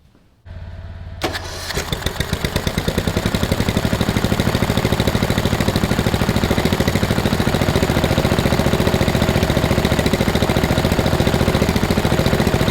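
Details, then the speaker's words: Lowered 2000 Murray LT1000 riding mower on blocks after new exhaust and drive belt: cranks, catches and settles into a steady, even thump that firms up; smooth normal running. "all right well I think that warrants a test drive it seems to be working all right"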